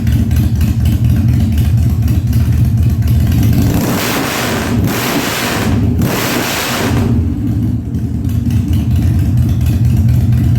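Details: 1997 Harley-Davidson Fat Boy after carb cleaning, new spark plugs and new battery, no air cleaner fitted; cold start on choke at 70°F, humid. Strong, even V-twin thump picking up cleanly on two quick blips, crisp response, no backfire; revs normally.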